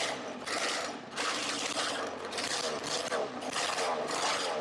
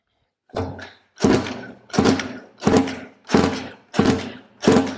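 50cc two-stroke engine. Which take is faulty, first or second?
second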